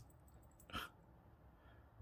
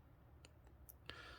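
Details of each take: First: Q Timex Reissue 38mm TW2T80700 quartz watch: turning the crown backwards gives faint crisp clicks but no day change, as this movement lacks quick day-set; day advances only by running 24 hours. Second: Timex Q Reissue 38mm quartz watch (TW2T80700), crown pulled out and turned backwards trying to change the day: four faint crisp clicks in a quiet room; normal crown ratchet, movement doesn't allow backward day change.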